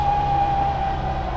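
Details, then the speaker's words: Classic Mini Cooper, twin-cam 16-valve BMW K-Series head, ridden in: steady high whine over low road rumble as it pulls, the normal sound of straight-cut drop (transfer) gears fitted after a worn primary gear bushing was found. "Cool. Well, the first thing you're gonna notice in this ride is those straight cut gears."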